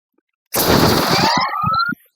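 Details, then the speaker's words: Cleaned roller bearing from an Edwards E2M30/E2M28 vacuum pump, spun with compressed air: loud air blast with a thin whirr rising like a turbo spool, no grinding. Normal bearing spin-up; the bearing is good to reuse. "So did you hear that high-pitched turbo spin-up type of sound? That tells me that everything in this bearing is running smoothly, and that's good to reuse."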